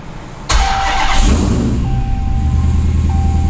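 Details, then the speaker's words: 1968 Dodge Charger restomod with Hellcat engine swap, first start after sorting cut and mixed wiring and unprogrammed modules: quick crank, engine catches cleanly and settles into a steady, even idle with no misses, clearing old unburnt fuel; healthy start. "Oh, heck yeah! It actually starts and starts smooth."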